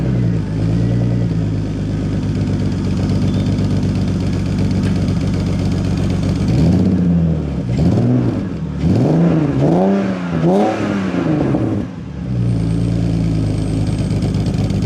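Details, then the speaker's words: BMW E46 Clubsport with check engine light on, started and revved: uneven stumbling rise and fall with rough beat and clatter; bad misfire, cause awaiting BMW software diagnosis. "the car is misfiring badly. We've got an engine light on, so we'll start it up."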